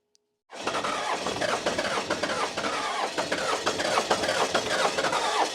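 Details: 1994 Dodge Cummins diesel, off the road for years: steady rhythmic cranking, about two beats a second, never catches; fuel is aerating somewhere, injectors stop shooting, pump sounds loaded then high as if pumping air.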